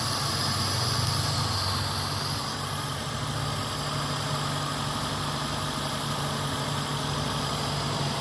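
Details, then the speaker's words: Daihatsu engine that had cranked but would not start, now starting after a short-circuit check without a scanner: steady low hum with an even, unbroken rhythm and no knocks or misses, a normal idle. "अभी फिलहाल गाड़ी start है"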